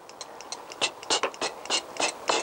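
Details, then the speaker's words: Honda CBR1000F motorcycle, turn signals previously dead, fixed by soldering a broken wire: pressing the turn signal gives crisp, evenly spaced, brisk steady clicks of the flasher relay; normal turn signal flasher operation. "press the turn signal and there we go and you could actually hear the flasher flashing"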